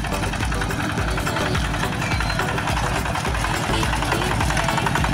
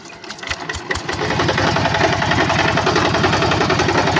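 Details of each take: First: Yanmar TF-85 single-cylinder tractor diesel after field service for rough running and strong knocking, back at work: steady, even thumping at constant idle, each firing beat even with no extra knock; engine sounds healthy. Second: Yanmar TF-85 diesel on a tractor in a rice field; the owner reports rough running and a strong knock. A heavy, hard knock about three to four times a second hammers through the diesel clatter: main bearing knock.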